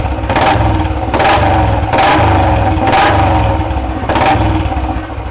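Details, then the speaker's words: Fully restored 1976 Royal Enfield Bullet single: five firm rev blips over a deep steady thump, each rising cleanly and dropping back, no knocks or rattles; sound turns heavy when revved, normal engine revving. "நல்லா rave பண்ணும்போது தான் sound நல்லா ஹெவியாக வரும்."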